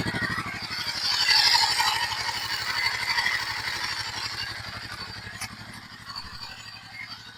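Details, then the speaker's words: Royal Enfield Himalayan 450 (Dec 2023 model, ~14,000 km) after Royal Enfield-approved cylinder head replacement for tick noise that began around 5,000 km: steady single-cylinder beat, smooth hum, no ticking or clatter; healthy. "ഇപ്പോൾ നിങ്ങളുടെ sound കേട്ടുകാണല്ലോ ഒരു മാര mechanical കാറ്ററിന്റെ ഒരു sound പോലും pure ആയിട്ടുള്ള engine noise മാത്രമാണ് ഇപ്പോ കേൾക്കുന്നത്."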